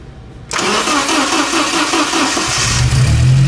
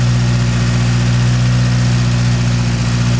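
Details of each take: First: Porsche 924 Turbo, long-sitting, with new spark plug wires, vacuum hose to the distributor retard reconnected: starter churns about two seconds, then the engine catches cleanly and settles into a steady even idle. Normal start. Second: Porsche 924 Turbo on a cold start after sitting overnight, following fresh fuel: a steady low idle, much better than before, but it wavers now and then with a faint stumble; owner suspects residual old fuel in the line.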